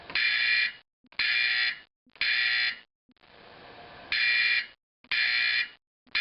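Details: Simplex 4051 horn converted to a 24 V AC 4050, final test after reassembly: harsh buzzing blasts about once a second, roughly half a second on and off, sounding cleanly; normal horn operation.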